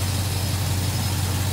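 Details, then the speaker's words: GMC K2500 with LS-swapped 6.0 V8 and SM465 idles deep, smooth and even; the previous night's lifter rattle is gone. A slight stumble on initial throttle is suspected to be a tuning issue. "she's running well um sounds good runs nice and smooth"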